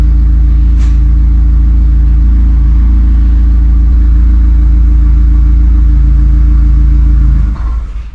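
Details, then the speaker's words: 2016 BMW 428i xDrive N20/N26 with fuel pump unplugged before pump replacement: steady low idle hum holds about seven seconds, then stumbles and dies as the lines run out of fuel; stall from fuel starvation. "And the car turned off by itself."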